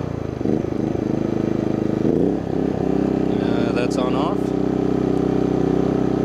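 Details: Brand-new Genmax GENMAX 4500IBEFI electronic fuel-injected compact inverter generator, under an hour of runtime, electric start after the fuel pump primes: starter spins briefly, engine catches and settles into a steady, even hum with no misses or knocks; normal.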